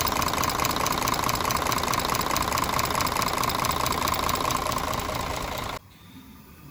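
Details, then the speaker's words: Mercedes Axor truck, OM 457 diesel, idling after tappet adjustment: fast sharp even ticking about 140 a minute over the idle; valve clearance grew again after running, worn tappets and camshaft in the valvetrain. "что же у нас после работы заметно теперь зазор увеличился Это только вот после того как он поработал"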